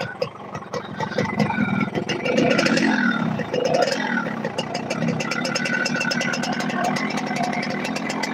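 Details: Yamaha RX-King two-stroke motorcycle: an uneven, blubbery idle with ragged revs and a loose clatter underneath; running rich and the connecting rod is worn.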